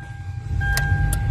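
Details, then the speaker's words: 2014 Hyundai Tucson manual that would not start, with the clutch switch pressed by hand because its stopper was missing. Deep rumble swells as engine catches and settles over a steady dash chime; now cranks and starts normally. "yan pinindot natin umistart na to tignan natin sa taas Ayan i-start na po ang ating Hyundai tuzon 2014 manual Ayan um start na"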